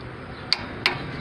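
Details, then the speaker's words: Flea-market 1/2-inch-drive torque wrench set to 50 ft-lb, used on CV axle/hub hardware of a 2009–2011 Chevy Aveo: two crisp metallic clicks as it breaks over at the set torque. "Now, I hope you'll be able to hear this click. And I don't mean a ratchet."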